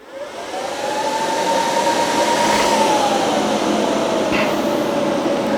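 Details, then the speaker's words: 4-pill BLF188XR LDMOS amplifier with 48 V power supply: steady airy rush rising then easing; stock cooling fans are very noisy and coarse even at low RPM. "The fans that they put in this thing are so noisy, and they run at a low RPM."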